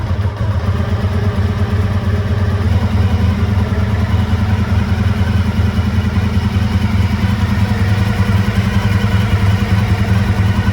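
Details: 1985 Honda VF1000R V4 warming up at idle after sitting three to four years with carbs not run dry; lumpy, limping beat, rear right cylinder dead, running on three; likely blocked pilot jet from float-bowl muck; carbs to be pulled.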